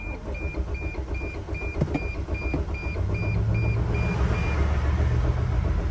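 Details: 2006 Dodge Sprinter diesel, crankshaft position sensor fault blamed: warning chime beeps, then low uneven cranking for seconds without firing. Last try after starting fluid failed, battery 12.2 V; the fuel pump is not heard afterwards. Crank no start.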